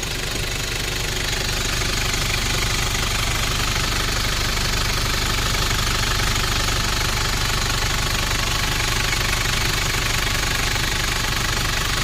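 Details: 1994 Nissan Big M pickup, BD25 2.5 L four-cylinder direct-injection diesel, after a test drive: even, regular diesel clatter at steady idle, no misfires or heavy knocks; healthy engine.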